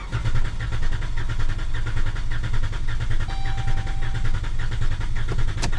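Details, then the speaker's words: 2013 Dodge Grand Caravan during a clear-flood crank with the key on and the accelerator floored. Uneven, lopsided cranking at about 105 pulses a minute with one weak stroke; dead cylinder, shown with a relative compression test. "from listening to it I know that this car has a dead cylinder I can hear it"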